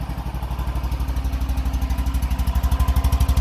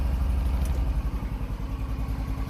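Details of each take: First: Single-cylinder engine on a warm day, started out of gear with choke on: fires to life, steady even thumping at brisk choke idle without misses; normal cold idle, still a little cold taking throttle afterward. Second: Cold engine bogs and stumbles on throttle after the choke is switched off too early, low single-cylinder thumping dipping unevenly; it improves once the choke is turned back on.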